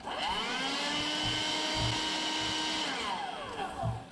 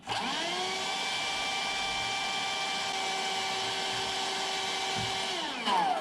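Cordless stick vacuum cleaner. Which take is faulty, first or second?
first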